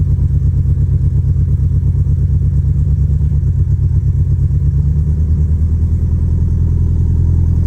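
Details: 2013 Scion FR-S/BRZ engine, first start after a home rebuild following engine failure: deep, steady, even exhaust beat holding smoothly with no knocks or rattles; running cleanly.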